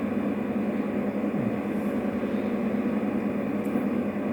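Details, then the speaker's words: 12 kW electromechanical voltage stabilizer idling about 20 minutes with no load, 220 V in and out: steady airy whoosh with low hum as the cooling fan runs; owner unsure this is normal, motor whistles. "Acesta este zgomotul de la ventilator, după cum știu ,"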